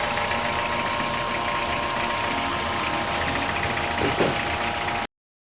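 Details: Car with rough idle and fault code P1519 that returned 30 minutes after cleaning the IACV, engine feeling like it wants to move forward while in park: idle chugs with loose, irregular beats and faint wavering.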